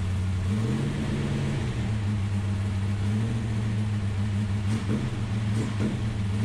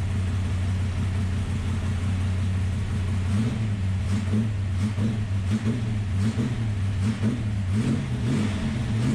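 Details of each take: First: Ultima GTR V8 supercar sat 7 years unrun in a warehouse, cold, no coolant yet, oil pressure confirmed: smooth even drone rising in pitch with a brief rev and settling back, no knocks or misses; healthy engine. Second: Ultima GTR supercar, first start after sitting about 7 years, engine very cold, oil pressure present: revs rise and sag unevenly and it won't pull cleanly; poor revving, blamed on the cold.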